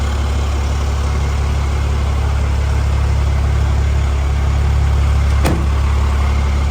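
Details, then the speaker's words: 2008 Cummins diesel with new Wagler engine after major failure, early break-in, no check-engine lights: steady even low diesel rumble at idle, no knocks, misses or rattles; normal idle. "honestly parting like getting them this truck sounds great no check engine lights started right up the minute we plugged the injector up pretty quick it started right up"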